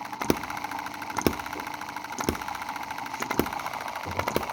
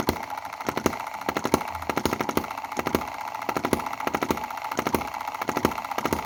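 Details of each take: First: Cheap Chinese M19/EM2 hit-and-miss gasoline model engine, two months old, after carb cleaning, spark plug cleaning and mix-needle rework: sharp firing pops about once a second with long coasting gaps, even apart from an odd skip; running well. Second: Chinese M19/EM2 hit-and-miss gasoline model engine: rapid sharp popping in repeating groups of three with dropped beats where it fails to fire fully; misfire from retarded valve timing, cam position needs advancing.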